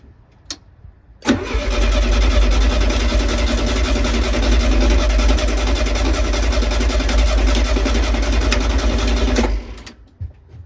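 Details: 1972 VW Beetle unstarted for over three years, with heavy end float: steady starter cranking at about 3.5 turns a second for eight seconds, never firing. It cranks but won't start; electronic ignition and fuel lines needing redoing are found afterwards.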